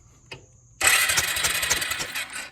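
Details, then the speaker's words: Early-to-mid-90s Suzuki King Quad 300 ATV, left sitting outside, spark plug removed (very black) to check spark: about two seconds of quick, even starter whir with a light airy chuff and no compression drag; normal cranking. "so we're going to watch for spark right here turn it over and see what we got"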